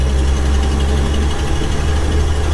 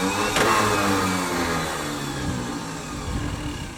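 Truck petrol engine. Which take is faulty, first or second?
second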